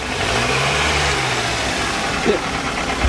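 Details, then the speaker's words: Hyundai NF Sonata engine idling, heard in the engine bay: a fast light chattering tick over the hum with an occasional rattle; the seller judges the engine in poor condition, and the car was sold for parts. "자, 엔진 소리 한번 들어볼게요. 잘 들어보세요. 찰찰찰찰 거리죠,"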